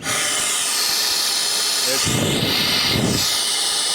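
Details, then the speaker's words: 2009 Mercury Milan, 67,000 mi, codes P0410/P0491, after a new secondary air diverter valve is fitted: with the valve opened by hand vacuum pump and the air pump energized, strong, steady rush of air at the outlet that did not flow before; normal secondary air flow. "flowing out of there great, which it did not do before. So, there's my pretty much confidence that it's fixed."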